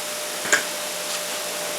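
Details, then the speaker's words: New, never-used bench buffer fitted with cleaning pads, just mounted on a new pedestal: even, airy whir, quiet and stable, no wobble, one small click; normal running. "I got a couple of cleaning pads on it. I brought some buffing pads with some compound. They haven't come in yet, but let's turn it on. See what happens. Nice and quiet, nice and stable."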